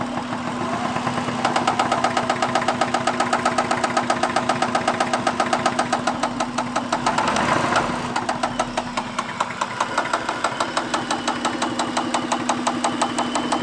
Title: Acura 2001 ticking noise (help)